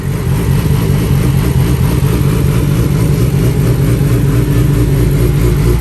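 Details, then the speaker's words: 2007 Yamaha R6 first run after fixing unplugged wiring and unprimed fuel pump: loud, steady four-cylinder idle, even low drone, no knocks or misses; earlier rough, hunting idle had settled. "it was kind of running kind of idling kind of rough at first kind of jumping back and forth"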